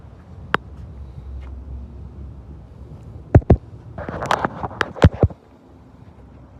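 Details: 2013 Ford Escape, sharp irregular clunks from the rear in a quiet background, some in quick clusters; source not yet pinned down. Rear clunking noise.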